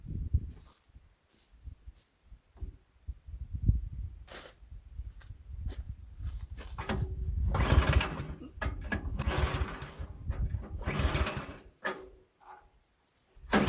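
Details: Meec SN210 snowblower small engine after parts cleaning and reassembly; it previously sputtered and died on its own: it stumbles and surges unevenly and won't hold speed. Owner suspects the throttle linkage, which won't stay open.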